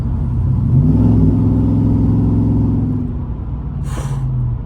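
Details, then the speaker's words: Car with headers, exhaust dump closed: a deep medium rumble swells under throttle, then settles back to a quieter hum with no ticking or puffing. Likely header sound rather than an exhaust leak. "dude I ain't going to lie it's a pretty nice it's a pretty nice little medium Rumble like it's super quiet when we're cruising"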